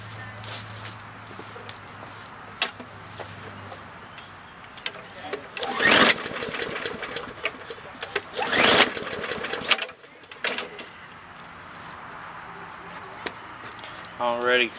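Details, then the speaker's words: 21-inch Poulan Pro mower that will not start: two rasping recoil pulls turn it over but it never catches. Carburetor primed, spark plug cleaned, spark present; it reportedly runs only when tilted back. "show you what it's doing what it's not doing is it's not running"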